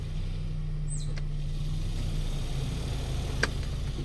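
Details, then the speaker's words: Mitsubishi car cabin blower motor on speed 1, heard in the quiet closed cabin: a steady low drone with rough scratchy scraping from worn brushes and a worn armature; fixed by replacing the motor with a used one. "นี้เา้าเรียกว่าเสียงพวกถ่านที่อยู่ในมอเตอร์เนี่ยมันสีแก้ไม่ได้ครับเหม็นทุ่นมันสึกไปแล้วนะครับเปลี่ยนตัวใหหรือมือ2องสภาพที่มันไม่ดังนะครับ"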